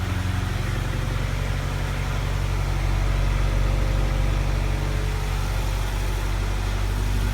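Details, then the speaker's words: 1987 Toyota 4x4 22RE with an Engnbldr Street RV head (larger valves), first start after reassembly: even idle with a light, fast ticking over the low rumble. Typical valve lash noise for this engine; valve adjustment is being considered. "Sounds like a 22RE. Typical valve noise for one of these engines. I could try adjusting the valve lash."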